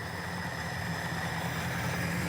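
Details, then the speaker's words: Petrol engine fitted with DIY aluminum valves three times lighter than stock, on its first run: it idles smoothly and quietly at a steady low pitch, with no valve pinging, chatter or ticking. "it is so smooth and quiet none of that pinging or chatter that you would hear from regular valves they aren't making any weird noises they are perfectly silent"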